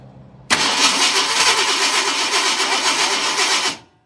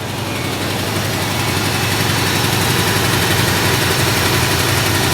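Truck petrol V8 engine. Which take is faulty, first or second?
first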